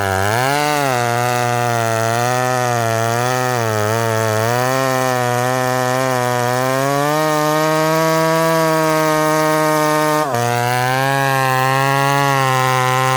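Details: Ported full-house McCulloch Super Pro 70 (70cc) chainsaw, 32-inch bar, cutting hard wood: high two-stroke scream that sags and wavers as the bar bites. Revs more freely than his 850 but lacks pulling power in the cut; cause unconfirmed.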